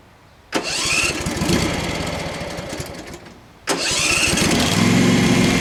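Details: Craftsman FS 5500 lawn tractor, after the breather was blown out: it catches twice and runs with a wavering, hunting beat instead of a steady idle. The owner says there is dirt in the carburetor, not yet cleaned.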